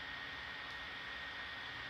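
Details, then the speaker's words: Gigabyte P34G laptop just woken from sleep, fan at lowest speed around 40–50°C, temperature around 49°C: steady airy fan rush with thin high tone as the fan kicks up while nearly idle; owner suspects background processes. "and I haven't really done anything I just brought it out of sleep mode so it's I might be doing stuff in the background processes"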